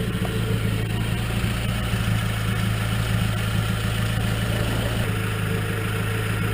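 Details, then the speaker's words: Nissan KA24E after replacing noisy rocker arms and bleeding them, idling after initial clatter settled: even, steady idle with smooth low drone and no top-end ticking; quiet, healthy valvetrain. "listen to that quietness that is quiet I love it yeah it's so very healthy right now"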